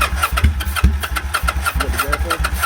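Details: Kawasaki Vulcan 800 being cranked on starting fluid, fuel petcock on reserve/prime uncertain: steady rhythmic starter churn, about four compression pulses a second, never catches; cranks but will not start.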